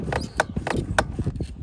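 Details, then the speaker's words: Month-old 2023 Electric Motion Escape R trials bike: sharp clunks as the suspension compresses and rebounds, seeming to come from the swingarm, forks or brakes. The cause was three 8mm left-side battery bolts vibrated loose to hand-tight; the fix is tightening them. "you notice it when the bike when the suspension suspension compresses and decompresses and you almost think it has something to do with the swing arms or the brakes"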